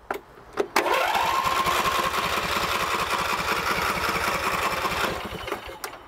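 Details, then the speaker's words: Craftsman lawn tractor with Briggs & Stratton V-twin, hard to start since new, choke lever full on: starter whirs steadily about three turns a second with no firing; crank no start because choke does not fully close, factory problem. "So what I'll do here is I'll turn it over to show you that it will not start even with the choke on."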